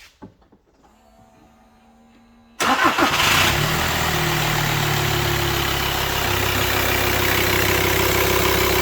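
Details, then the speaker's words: VW T5 long-wheelbase van, 2.5 BNZ diesel, first start after camshaft and hydraulic tappet replacement plus new filters and oils: quick crank, catches cleanly, settles to an even smooth idle with no top-end ticking, much quieter; normal start and idle. "Much quieter. That sounds about right."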